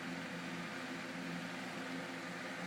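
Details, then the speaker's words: 1930s G.E. 12-inch non-oscillating table fan with a shaded-pole motor, unused for decades, on high speed: steady airy rush with a low, even hum and no rattles or scraping. Runs normally, though it still needs oiling and cleaning. "it's really powerful on high spot needing some oiling or cleaning"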